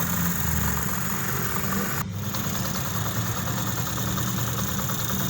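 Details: 2023 Honda CD 70 single-cylinder after head rebuild with new parts to cure persistent tappet noise; steady idle with even low putter, no top-end tapping, oil reaching the head, smooth and healthy.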